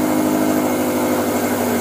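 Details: 2013 Subaru STI after an engine build, on its first start after oil priming with the crank sensor unplugged and fuel system priming, on a new tune: a steady, even idle hum with no knocks, ticks or misses.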